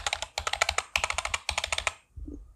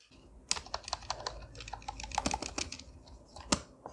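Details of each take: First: Amkette EvoFox FireBlade membrane keyboard before lubing: fast, sharp, clattery keystrokes with bright rattle from dry key stems and loose stabilizers. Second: Amkette EvoFox FireBlade membrane keyboard after lubing key stems and stabilizers: soft, muted presses at an uneven typing pace, no rattle or squeak from longer keys such as the spacebar; much quieter typing.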